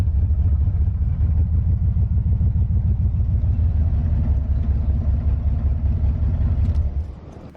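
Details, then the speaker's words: Car engine found with no oil and an empty coolant reservoir, spark confirmed: low, uneven loping rumble at idle before dying away; engine badly hurt and running rough, cause not confirmed. "this engine is hurt pretty good we need it to last at least an hour and a half to get to our trailer and I don't think it's even gonna do that"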